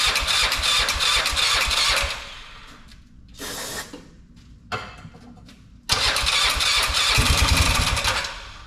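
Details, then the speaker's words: Polaris Sportsman 500 after top-end rebuild: bursts of fast, even starter cranking with pauses, never catches; owner suspects the fuel pump isn't working, weak pulse line, plenty of fuel in tank. "man that's a racket well I'm pretty sure the pump isn't working so I'm gonna let it sit"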